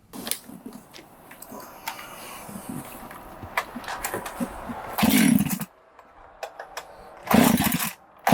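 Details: 372 chainsaw, carb jets cranked fully open, brake cleaner sprayed around the clutch to find an air leak: fires and flares into loud bursts of high revs between rough idling; suspected air leak at base gasket or crank seals.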